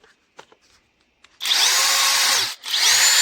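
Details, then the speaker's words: Parkside Performance X20V Team impact driver repaired with an AliExpress control board and adapter, trigger wires extended; two short no-load bursts of high, steady whine that spins up quickly; stopping isn't instantaneous; normal running. "elle marche nickel. L'arrêt n'est pas instantané, mais on s'en fout. Et elle dépote bien."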